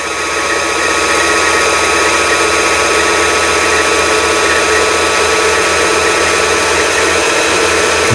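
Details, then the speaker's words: Janome-made JF1012 sewing machine, long unused, after repair of bobbin winder so the needle no longer moves when pulley is pulled out: smooth steady motor whir, no needle bar clatter, bobbin winding cleanly. "이제 수리를 마치면 요게 바늘은 움직이지 않고 북실을 감을 수가 있는 겁니다."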